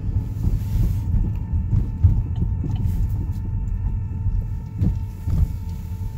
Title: 2013 Buick Verano whining noise